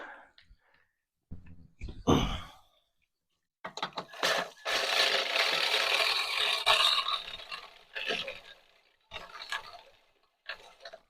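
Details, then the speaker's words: Toro Greensmaster 1000 reel mower not cutting in the middle after new bedknife: drill spins reel backward while backlapping, irregular bursts of harsh scraping against the bedknife as lapping opens clearance. "you can already hear it's creating space in between the Reel and the bed knife as you notice now then when we turn it it's not really making a whole lot of noise that's good"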